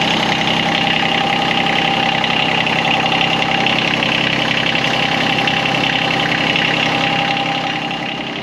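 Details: John Deere X758 diesel after an air and fuel filter change, now running: steady, even diesel clatter with a bright rattle on top and no stumbles or hunting. A healthy normal idle with fuel flowing properly; no leaks were seen.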